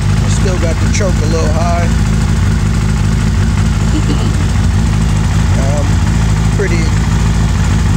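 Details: 2000 Suzuki Hayabusa after new exhaust manifold gaskets were installed: loud, steady, deep idle with an even beat and no ticking or puffing from the exhaust; smooth idle.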